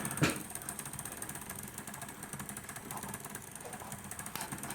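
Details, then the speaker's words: P2 Cock O' North model locomotive: faint, quick ratcheting chatter with a loud click from the drive. Owner suspects the worm drive isn't engaging or has the wrong thread pitch, unsure whether it is the motor or the gear mesh. "I'll tell you what it sounds like it sounds like that that Worm Drive is not engaging or is it the right pitch of the screw thread on the Worm Drive of the gear below"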